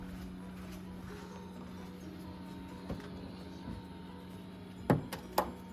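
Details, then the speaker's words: Walbro 450 fuel pump on turbo K24A2 (Borgwarner S257, E85, new 2200cc injectors, KPro) set to run continuously to prime: quiet steady low hum at one pitch with a few stray clicks; pressure builds, no leaks; normal. "I don't hear any see any fuel yet. We got pressure. Fuel pump's running."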